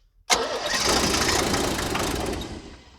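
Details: 1978 International Scout II, Nissan SD33 diesel, sitting over 20 years, cranking after glow plug use; rough, uneven firing burst that fades within two seconds. Engine very sensitive to glow plugs. Diesel fires but won't keep running.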